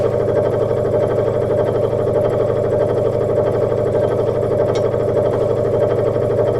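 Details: Sears Craftsman 23-inch scroll saw, before restoration, unbolted on bench: steady even motor hum with light fast blade chatter, no knocks or rattles, low speed; saw barely moving.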